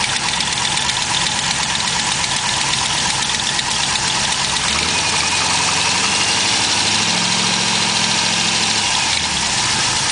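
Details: LS1 V8 idling with a quick, sharp tick a few times per second over the exhaust note; suspected collapsed lifter turned out to be an exhaust leak.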